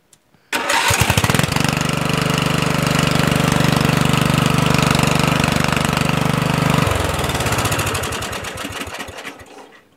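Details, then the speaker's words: Murray 14.5hp 42-inch lawn tractor, single-cylinder. Catches at once, settles to an even idle, winds down cleanly; hard starting believed caused by the ground wire on the start trigger wire grounding out the magneto, now rewired; normal start. "you notice I don't have any trouble starting it anymore"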